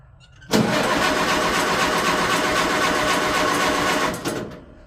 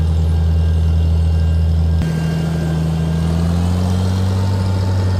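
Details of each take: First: Tractor sitting over a year, choked, out of gear: starter cranks at an even pace about 3.5 seconds without catching; tank found empty, out of gas. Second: Tractor, 12V six-cylinder, running Autolite 386, first start after sitting over a year, choked, in neutral; slight sputter from probable moisture in gas, then deep steady rumble settling smooth and even, running really good.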